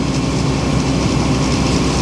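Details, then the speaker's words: Powerscreen Premiertrak 400X jaw crusher, unused for months, during full inspection: engine revs, flywheel and jaw running with deep steady rumble, no banging or uneven thumps; running smoothly. "You hear the engine revs. Now the jaw's firing. Sing to me, sing to me. Right, so there's no banging whatsoever."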